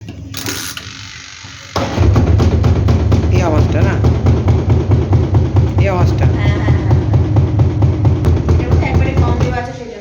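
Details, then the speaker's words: Lloyd semi-automatic washing machine in spin: heavy rhythmic thumping about twice a second over the spin motor, customer complains of loud noise; no machine fault, clothes unbalanced in the tub and must be centred. "तो sound से आपको पता चल चुका होगा कि इसमें दिक्कत क्या है इसमें साउंड प्रॉब्लम है स्पन जब भी करते हैं तो कस्टमर का कंप्लेन है कि यह बहुत साउंड करता है"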